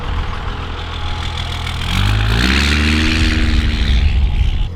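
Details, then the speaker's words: 12V Cummins diesel after Stage 2 cylinder head swap with upgraded valve springs: deep even throb climbing smoothly as revs rise and hold, no knocks or misses, no smoke; owner says it runs better than ever since owning it. "This thing is running, I think, better than it ever has been, like ever since I've owned it. It just sounds so good. The engine just sounds so happy."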